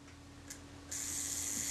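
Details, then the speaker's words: Kodak Retina Reflex S shutter after cleaning the retard gear train and self-timer, nothing broken: a faint tick, then a thin, steady high buzz as the self-timer runs down smoothly, and the shutter opens and closes snappily. Normal self-timer run-down. "hear the self-timer runs down nicely then you can see the shutter opens and closes smoothly"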